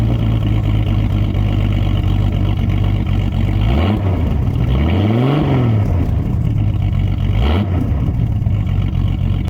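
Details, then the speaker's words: 1989 Jeep Cherokee XJ, 4.6L stroker I6, running open with the old muffler cut off: loud, raw, boomy exhaust note rising and falling with a couple of quick revs. "It's not as bad as I was expecting, honestly. I almost like it. Almost."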